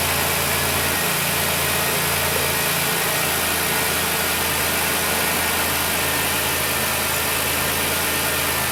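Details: High-mileage 2008 Dodge Grand Caravan, replacement 3.8 L engine, running during coolant fill: steady even idle behind loud cooling-system fill hiss, no knocks or misses; sounds healthy.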